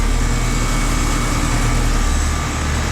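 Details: 2015–2016 Payne three to three-and-a-half-ton heat pumps at an office complex, running in 102°F late-afternoon heat: even steady low hum with fan rush, no rattles, knocks or squeals; cold and sweaty, normal running.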